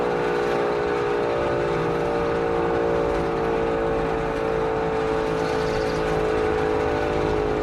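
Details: Auer LS10 siren on test, rotor coasting down for over six minutes despite a bearing fault: steady mid-pitched tone with a faint rough whir underneath; worn rotor bearing heard during run-down.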